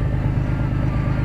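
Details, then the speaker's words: Car idling after water pump replacement (old pump at 40,000 miles clearly bad, caused violent shaking): steady, even low idle hum with no shake, stumble or knock while circulating coolant; vibration now constant, not pulsing, smoother than before. "now I'm just letting it idle for a bit get the coolant circulating"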